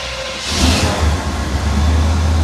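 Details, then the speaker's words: Scrapyard square-body Chevy C-10 V8 runs with a deep, uneven, wavering rumble right after retightening loose header bolts that were leaking exhaust; it sounds far better but still runs rough, with no header gasket possibly fitted. "yeah, that's way better. That sounds 100% better. It's still not running good though."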